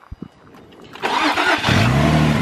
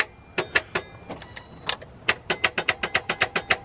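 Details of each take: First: Infiniti G35 not started in one to two years fires after a few clicks and a quick crank and settles into a smooth, steady idle, fan moving: normal start and idle. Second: Infiniti G35 that previously ran: sharp dry clicks, three or four a second, with no cranking or firing; full fuel tank shown, owner suspects starter; starter clicking, no crank.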